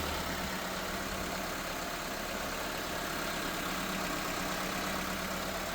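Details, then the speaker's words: 1999 Nissan Altima after alternator and belt replacement for an engine grinding noise: petrol engine idles smoothly and evenly, with no grinding, squeal or chirp from the belt drive. "And as you guys can see, no more noise. No more noise, man. New alternator, brand new belts. No noise at all."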